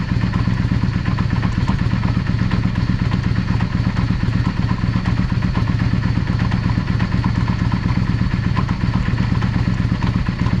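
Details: Yamaha XVS 650/400 Drag Star shaft drive, rear wheel raised: irregular clatter about twice a second over engine beat; vibration when coasting at 30-50 km/h and clunk on shifting; owner suspects universal joint with slight visible play, driveshaft runout.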